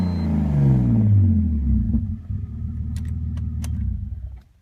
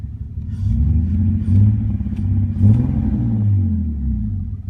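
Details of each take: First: 2001 BMW 330ci with catless headers and Dinan cold air intake, which runs fine for 5–10 minutes after restart before rough idle and bogging: engine settles from a brief rev into a low, even idle with no stumbles; running smoothly. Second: 2001 BMW 330Ci with catless headers and Dinan cold air intake, fault appearing randomly and cleared by restart for 5-10 minutes: deep rumble surging and sagging, almost stalling at idle, bogging on acceleration; MAF and idle air control valve cleaned, no vacuum leaks found, cause unknown.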